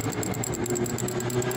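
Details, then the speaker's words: Chevrolet Celta engine running with a constant metallic rasping ring on top, first suspected alternator bearing; the noise came from the water pump, failing bearing. "tira o barulho tava fazendo na bomba d'água né filha barulho metálico"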